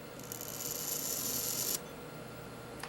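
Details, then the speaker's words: Clock movement time train check with the verge removed: a fast, light whirring as the escape wheel spins quickly, then stops, indicating good time train power rather than sluggish, friction-caused loss. "if after removing the Verge like we'll do here thecate wheel starts to turn slowly versus spinning quickly see that's considered spinning"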